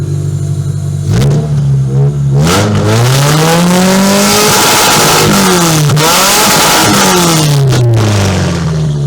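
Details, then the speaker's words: Toyota Camry being readied as a demolition derby car, revved after getting it to run: engine revs up and falls back smoothly several times with an even, clean note, no knocks or misses; normal revving. "I say that runs good. Steven agrees. That runs really, really good."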